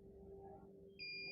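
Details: Multimeter on diode/continuity range across a fridge/AC/washing machine PCB transformer winding: quiet at first, then a steady high-pitched beep from about one second, showing continuity, so the winding is intact.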